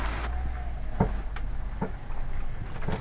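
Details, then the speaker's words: Car driving over uneven road: sharp irregular clunks from the front suspension over low rumble, caused by a badly worn, disintegrated ball joint that also holed the steering knuckle. "вот так , и на неровностях дороги слышен неприятный стук ."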